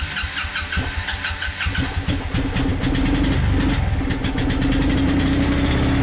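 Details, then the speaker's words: 1996 Suzuki King Quad 300 4x4 ATV single-cylinder before carburetor rebuild: cranks and fires, then a lumpy uneven idle with wavering hum, dies at full throttle; rough idle, owner suspects lean mixture from the carburetor. "yeah it's definitely not running real good see i just killed it by giving it full gas which means that full gas is not full gas it means it's getting more air than it is gas"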